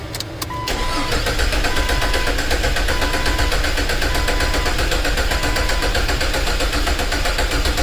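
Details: 2000 Jeep Cherokee 4.0L 4x4 with P0304 cylinder 4 misfire, relative compression test: steady starter cranking with an uneven chug, one cylinder pushing back less than the rest, low-compression cylinder.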